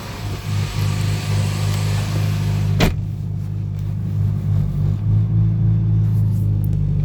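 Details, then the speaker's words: Inspira 2.0 / Lancer GT at idle after morning start, recorded inside the car: heavy low droning vibration rumble from the engine bay; broken engine mount, later replaced. "never it started, when the car is started in the morning, it gives off this weird vibration, this sound. All right. So what I found out is that it's most likely the engine mounting that's broken."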